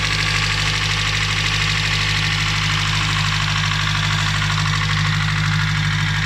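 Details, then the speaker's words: Nissan Primera P11 SR20DE idling after oil change: quick regular tapping about two per second over the idle, knock from inside the engine; owner suspects hydraulic lifters with thick oil, not confirmed. "Вот отсюда звук. Гидрокомпенсаторы. Масло густое."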